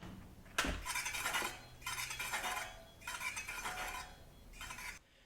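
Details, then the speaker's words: Mountain bike front wheel after fitting a new 180 mm rotor and Shimano adapter, before realignment: light swishing scrape about every second as the wheel spins; rotor likely misaligned with the caliper bracket. "so now let's fix this the reason why it's rubbing is I have a brand new disc and it's probably not properly aligned with this bracket and this brake system"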